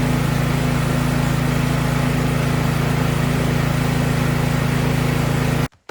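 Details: Briggs & Stratton 1022E snowblower that was surging, after carburetor cleaning: small single-cylinder engine holds a steady, even beat at constant speed with no hunting or surging, then shuts off cleanly; runs like new.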